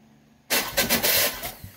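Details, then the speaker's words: Massey Ferguson GC2310 tractor: harsh, uneven starter whir that surges and chatters for about a second then cuts out; starter damaged from an over-compressing cylinder. "that's that starter has been damaged from that uh over compressing cylinder"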